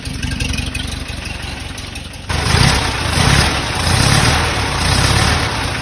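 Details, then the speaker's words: 1968 Porsche 912 air-cooled engine, freshly reinstalled, after a distributor adjustment. It catches and settles into a lumpy, wavering idle while oil burns off: a rough idle. "so i adjusted the distributor a little bit and it definitely helped but everything sounds super good it sounds a little rough is running good the oil's burning"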